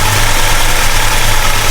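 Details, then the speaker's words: 1969 Plymouth Road Runner 440 V8, first run after 20+ years sitting, temperature just coming up: deep, loud, lumpy idle holding steady with no knocking or stumbling; normal cold idle. "Oh, hell yeah. She sounds awesome. This thing's going to freaking rip."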